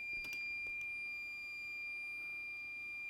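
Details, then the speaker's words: Soldering station during 2015 13-inch MacBook Pro Retina (A1502, 820-4924) logic board repair: thin, high, steady electronic beep over quiet room noise; station shows an error usually caused by an incorrectly inserted tip. "okay my soldering station just decided to freak out on me not exactly sure why it's doing that um fx yes oh got an sc error it's usually caused by a tip that's ins and correctly inserted into"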